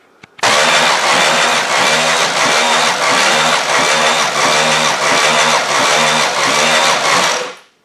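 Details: Demolition derby engine cranked by the starter with no spark plugs for a compression test: an even chug of about eight or nine beats with no firing, turning over slower than expected. Low compression (readings about 100–140); head problem suspected, starter to be changed.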